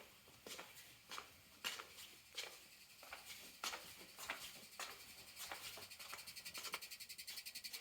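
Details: AT&T U-Verse fiber panel: faint sharp irregular ticks that speed up into a quick, even patter, with vibration and no motor sound behind them. The cause is unclear.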